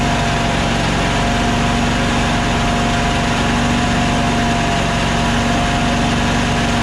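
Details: Toro Z528 (74237) zero-turn mower after fixing bad fuse block connections and the ignition switch with a new pigtail: loud, steady engine clatter at constant speed, no surging; charging voltage rises to 14.2 V as it should.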